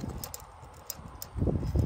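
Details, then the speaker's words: Series 60 diesel engine, stopped, fan rocked by hand: dull low clunks from excess play; fan clutch engages fine but its hub bearing is shot, cage visibly worn. "i'm a fan clutch the fan is moving you know i don't mean spinning i mean moving like if it's on the end of this it's moving like that right y'all hear that that's a shot bearing"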